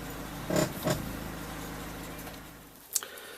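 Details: Honda van with a bad lower ball joint: two short rasping creaks as the wheel turns, then a sharp click, over a low engine hum; fix is replacing the ball joint via steering knuckle removal.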